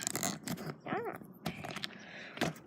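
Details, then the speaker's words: Bicycle ridden after sitting unused a long time, tire not pumped up: brief high chirping squeak rising and falling as the wheel turns, over ride rattles and scuffs; rider attributes it to the wheel, not confirmed. "You hear that squeaking? It's my bike, my wheel. It's not pumped up because I didn't pump it up."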